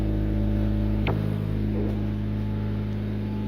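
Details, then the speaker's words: Honda Civic EM with its exhaust temporarily welded back onto its mounts, idling in neutral: a soft puffing tick about four times a second over the low drone. The exhaust is leaking at the silencer and at another spot. "right so it is leaking out the silencer and somewhere else there"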